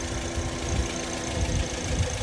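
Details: Engine idling with radiator cap open, coolant only mildly circulating as it warms, showing no head gasket problem: even settled idle, steady low thrum, no misses; normal idle.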